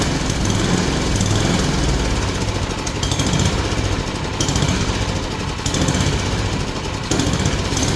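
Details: Yard Machine snowblower single-cylinder, previously locked up, flywheel teeth ground down so converted to pull start. After adjustment it chugs steadily with slight speed surges, running on its own and sounding healthy.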